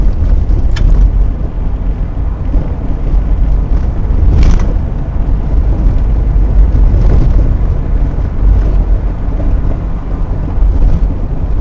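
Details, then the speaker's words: 2000 Toyota Sienna, recorded by rear dash camera while driving: scattered clunks over heavy low road rumble from the rear suspension. The cause is worn-down shock absorber bushings, and the rear shocks are replaced. "I found out that uh the main reason why you can hear the clanking noise because of warm down bushing on shock absorber it doesn't cost much if you replace it by yourself"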